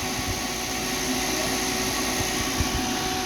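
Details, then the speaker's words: Delfield R-290 propane unit after condenser fan motor replacement, running 15 minutes with cool compressor head and lines and no temperature change: irregular dull knocks about two a second over a steady fan rush; compressor valves knocking, compressor failed. "And I don't know if you guys can hear that sound, but you can hear the valves in the compressor just knocking."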